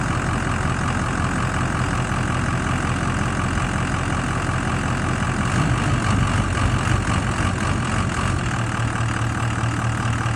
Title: 6.0 rough idle improved but still present after revX